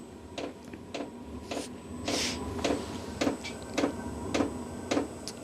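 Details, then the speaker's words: VEVOR diesel heater restarted after an error 10 (oil circuit check): sharp, even pump ticks a little under two per second over a low fan hum, speeding up as it tries to light; temperature then climbs to 17–20 degrees. "Sounds like it's trying to start. It's trying to start. You can hear it trying to start. Okay, it's getting faster and faster."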